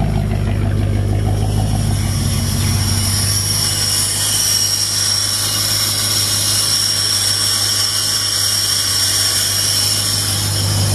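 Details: 1938 Chevrolet six after maintenance, possibly fouled plug suspected: steady, even idle with smooth low hum, no knocks or misses; running healthy.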